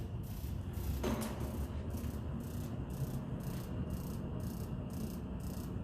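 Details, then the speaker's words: Gas furnace with pilot assembly and ignition control, thermostat set to heat; sharp, regular ticking two or three times a second with no whoosh of flame; igniter sparks but pilot never lights, flame sensor suspected. "okay so as you could see as you heard it was sparking it was parking but it didn't get a chance to ignite perhaps it's a flame sensor issue we'll find out"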